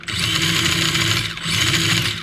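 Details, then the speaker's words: Usukani D3T RC drift tricycle with Dynamite 2-in-1 unit, first test drive: two quick throttle bursts give a clean rising and falling high buzzing whine, no grinding or cogging, not crazy RPM; normal motor. "That doesn't feel so bad. That doesn't feel like some crazy RPM we're getting out of that."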